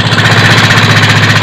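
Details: Yamaha Mio 125 / M3 FI scooter engine idles with a rough, clattery, uneven knock, running without a battery on its capacitor; oil is confirmed reaching the head so the oil pump seems fine, but the air filter box has a hole.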